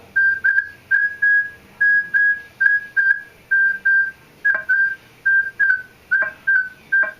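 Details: Minelab E-Trac metal detector with a quarter waved farther from the coil: steady high tone pulsing about twice a second with a hollow knock-like, null-like edge; odd extra tone on a distant target, cause unknown.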